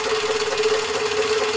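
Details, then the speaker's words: Partially restored Myford ML7 lathe running its back gear with the power feed engaged: an even mid-pitched gear whir with a steady hum and light rattle, slightly noisier than plain running but smooth and functioning fine. "the backyard system shall also be tested and the function is okay and just wanted to prove it with the feed now so you hear it a little bit more noisy then"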